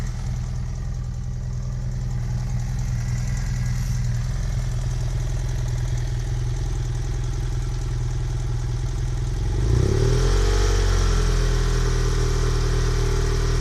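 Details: 2010 BMW F800GS twin, engine hot: steady fast mechanical clatter of three to four taps a second at idle, continuing into a throttle blip; owner suspects valves or piston, cause unconfirmed.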